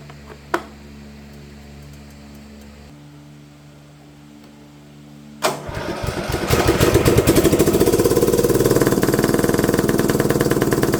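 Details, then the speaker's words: Simplicity front-deck rear-steer riding mower with 17 hp Briggs & Stratton engine, sat for years, low oil, fouled plug: silence, clunk, then rough uneven running; valve lash stud came loose and a tappet piece fell off, so it runs on one valve. "That's why our valves are running off. So we have one of our tappets on the very top. It's not there, so it's loose, and we're only running on one."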